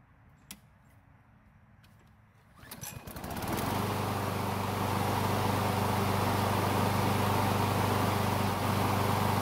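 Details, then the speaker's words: Craftsman mower that wouldn't start hot, after carburetor replacement, restarted hot after three minutes running with thermostat bypassing the choke: a few pull-cord rattles, catches within a second, settles to steady even idle; normal hot start. "so it looks like everything is working just like it's supposed to"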